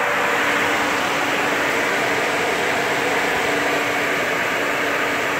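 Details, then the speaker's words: 1992 Nissan Pathfinder supercharged pickup idling: loud steady hiss and rushing noise with a constant low whine; power steering pump sounds like it is failing, cause not yet known. "That's what the power steering is doing. You can hear the power steering pump just grenading itself. There must be something wrong with it."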